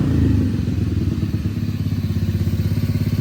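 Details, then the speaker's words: Honda NAVI carburetor at about 65°F after rejetting: after a throttle blip the revs hang high then slowly sag into a lumpy thumping idle and it wants to die; fixed by adjusting the fuel screw and idle mixture screw. "Hear that? I'm not giving that gas. And then it drops down. That is a fuel screw issue."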